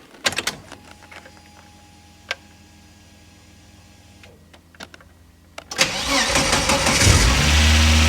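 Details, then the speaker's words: Volvo 740 with T5 engine swap, first start after rewiring fuel pump relay to ECU, oil pre-circulated, oil slightly low: a few clicks, then cranks and catches into an even, steady idle with no ticking or knocking; healthy. "Yeah, we have to top off the oil before we go any further, but the engine sounds much better now"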